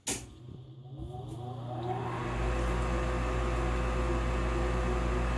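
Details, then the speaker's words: Olsen Airco furnace new replacement inducer draft fan motor starting on heat call: spins up over about two seconds to a smooth steady hum, much quieter than the old bad-bearing unit. "Induced draft fan kicks on, which is much quieter than the old one."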